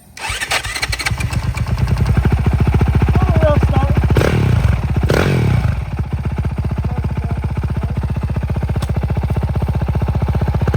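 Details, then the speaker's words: Cheap 2021 450 dirt bike bought on Facebook Marketplace, warmed up, first test ride, aftermarket smaller sprocket: crisp firing pulling cleanly through throttle blips, settling into a steady even beat, no rattles or misfires; runs really good. "All right. First impressions? Runs pretty good for what it is. That runs really good."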